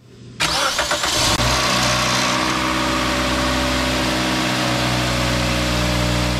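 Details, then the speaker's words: 2008 Toyota Corolla S 1.8L automatic, first start after replacing the timing chain tensioner, which leaked at its O-ring. A brief rattle for about a second, then a smooth, even idle. The rattle is normal until oil pressure builds in the new tensioner; normal start and idle. "it seems to be perfect now if you heard that slight rattle on Startup that's normal and that is only because the new tensioner has no oil pressure built into it so for a couple seconds it's going to Rattle and then it should never happen again"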